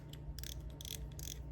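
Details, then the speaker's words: Johnny Morris Platinum baitcast reel after annual cleaning and oiling, handle refitted and its pin pushed out slightly to seat in the gear: quick even clicking with a smooth gear purr, no catching or grinding; normal retrieve. "Let's see what that did. Yeah, now we're jamming."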